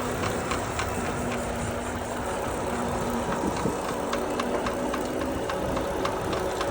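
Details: Lectric electric trike making light, fairly regular ticking about three to four times a second over a faint hum; manufacturer replacing the trike: abnormal ticking noise.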